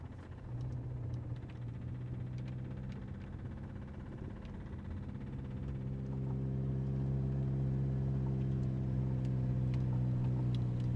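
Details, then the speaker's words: Cheap Toyota MR2 with 4A-GE engine leaving an oil trail: steady low idle with a regular knock near four per second at idle and low rpm, gone when given gas; owner suspects a bearing being chewed up. "Weird, when I give it gas, the knock goes away, but when it's like idling or lower RPM, you can hear it knocking."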